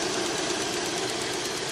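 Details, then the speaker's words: 2006 Cadillac SRX with decent miles, idling: light fast ticking from the EVAP purge valve opening and closing, ticking faster over time; the valve needs replacing. "And there's the noise from the purge valve. Y'all can hear it, the little ticking noise."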